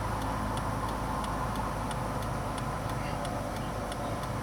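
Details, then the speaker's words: 2001 Ford Taurus with intermittent turn signals, after replacing the flasher relay under the steering wheel with the OEM part: crisp, evenly spaced clicks about three a second over low engine hum; normal flasher operation. "Yep, that sounds a whole lot better. It sounds like the original part. It's working."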